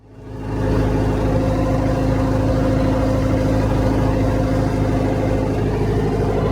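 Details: 1975 Land Rover Series 3 109" with Perkins 4.203 diesel idling with a slightly uneven chuffing beat from a blown head gasket; head pulled, valve job done, some intake ports had excess oil.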